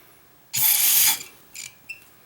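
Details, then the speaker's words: 1994 Saab 9000 fuel injector bench test, being rebuilt with new pintle caps, spacers and seals: sharp half-second hiss of spray then two short puffs; the injector sprays and atomizes properly. "yeah it works nice spray that one's fine"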